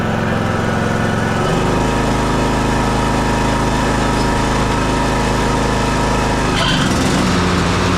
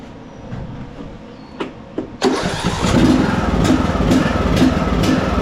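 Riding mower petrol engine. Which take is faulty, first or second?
second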